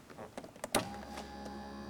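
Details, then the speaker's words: 1983 Mercedes 300SD (W126), left rear power window that stopped halfway down: clicks, then steady motor hum with vibration felt at the door panel but glass not moving; broken window regulator slide. "hear that? You can hear the motor running. And if I put my hand on the door panel, I can feel the vibration."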